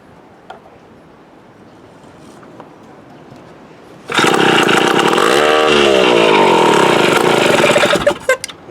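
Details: Mid-1950s Strunk Speed Demon chainsaw, bar and chain off, stored unrun since the early 70s, dirty tank: first start, runs rough and uneven with revs surging and sagging; ignition good, carburetor needs a rebuild kit.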